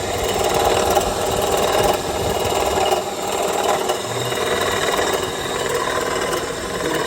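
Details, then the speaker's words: 2007 Honda CR-V engine running with AC on; loud uneven rattling clatter in rough bursts with whole-engine vibration felt at alternator and clutch, compressor suspected breaking up inside, unconfirmed. "Well, we know it's it, but holy moly, there's a vibration case. The whole engine's vibrating."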